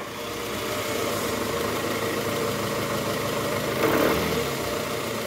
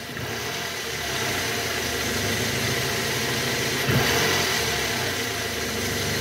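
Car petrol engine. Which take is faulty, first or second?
first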